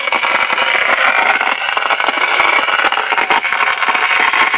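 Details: 1951 Silvertone 5-tube radio after capacitor, power cord and tube replacement; dense continuous crackle and hiss with sharp pops like a thunderstorm, no program audio, from a leaky second IF transformer leaking high voltage onto its secondary winding.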